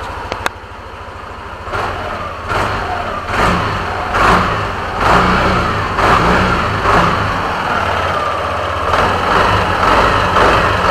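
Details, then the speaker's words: Yamaha NMAX v2.1 scooter after replacing a worn spark plug; before, it died on slight throttle: a steady idle with quick, clean throttle blips that rise and fall smoothly, no stumbling or dying; normal idle and throttle response. "So, mas okay sa akin ngayon yung response niya."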